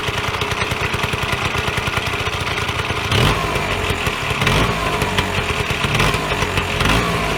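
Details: Vyatka Elektron two-stroke scooter revived after long garage storage: rapid, even popping at idle that picks up smoothly with a throttle blip; running fine.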